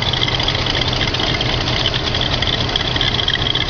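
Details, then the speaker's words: 1978 Mercury Marquis Brougham, 351 V8, about 85,000 claimed original miles, long unused, cold start on fast idle: uneven tractor-like chugging with a thin steady whine, not the belt; cause unclear, idle smooths out once warm. "that's not the belt that's making that noise sounds like it's tractoring almost right"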